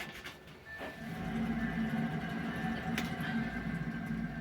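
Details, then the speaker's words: 2006 Audi A6 2.0 diesel with noise while driving; hub spun by hand gives a low, gritty rumble with balls audibly rolling; worn front wheel bearing, to be replaced. "чути, да, що воно гаркотить і чути, що там шарики перекочуються."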